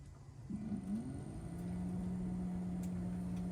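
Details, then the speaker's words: Kenworth T680 HVAC blower motor after replacing bearings (608D): smooth quiet steady hum on first speed, previously grinding at second speed; now sounds like new. "oh my gosh I can't believe how quiet it is second speed wow"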